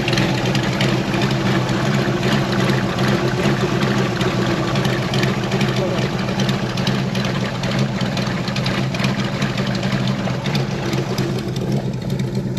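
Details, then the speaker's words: 413 hot rod coupe with magneto ignition and fuel pump, idling after sitting a couple of weeks: steady, lumpy idle with deep even burble, no knocks or misses; engine sounds healthy. "Hopefully all of you like the sound as much as we do. And it definitely has to sound better in person than it does on this camera. It sounds killer."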